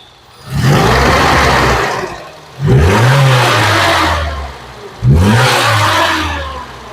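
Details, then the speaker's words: Isuzu Amigo rock crawler project, after cleaning a filthy mass airflow sensor fouled by starter fluid; starts right up, three clean throttle blips rising quickly and settling smoothly with no stumble; revving normally, though it later chokes and splutters on a test drive. "Okay, starts right up, but we had it starting up pretty before. But here's the question: will it accelerate?"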